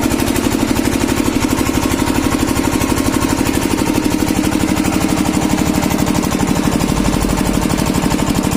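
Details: Kirloskar single-cylinder diesel engine, after diesel filter replacement to cure a starting problem: even, steady thumping at constant speed with no misses or stumbling, running smoothly.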